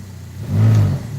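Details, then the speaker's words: Car with throttle blipped: deep low buzzing drone fading as revs drop; worn engine or transmission mount lets the engine shift and make metal-to-metal contact, often easing in reverse. "that engine mount is now making metal metal contacts that metal to rubber contact and when that happens this sort of thing can transpire and happening in your vehicle"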